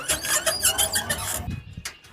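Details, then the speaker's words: New electric tricycle, only days old, moving: rapid high squeaks about every fraction of a second that follow wheel rotation, louder at pull-away, in turns and under heavy load; wheel bolts retightened and half-shafts and bearings checked OK; drive-part source suspected, unconfirmed. "从声音上区分，应该还是传动部件发出来的声音，因为它是随着轮子的转动产生的噪音。"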